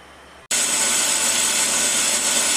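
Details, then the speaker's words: Willys brake drum on a brake lathe, final light pass at slow feed setting 6. Steady, uninterrupted hiss of the cutter all the way around the drum. Normal continuous finishing cut. "okay this the last pass and you can hear we're getting a good cut all the way around"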